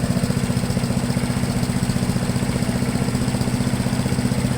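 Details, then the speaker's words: MTD push blower with Honda 5 HP engine, revived after sitting over two years, at full throttle after idle adjustment; steady, even roar with fast regular pulse, no misses or surging; normal full-throttle run. "in my eyes and in my ears it sounds pretty good to me"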